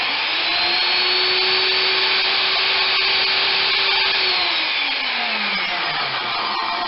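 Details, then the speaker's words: Skilsaw SPT77WML worm drive circular saw (saw number 3 of a broken batch), on a GFI: a smooth, steady motor whine. It coasts to a stop quicker than the others, possibly from wear or less grease. No big brush sparks; sounds normal. "This one sounds good. It does come to a stop quicker than the other ones. Doesn't make it a bad saw, just possibly more worn or less grease."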